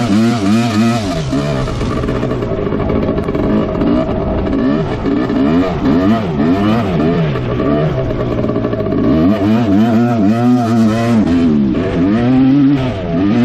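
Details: 1986 Suzuki LT250R two-stroke quad, riding: revs climb then suddenly flare free and fall away as it pops out of second through sixth gear into neutral; first gear holds fine.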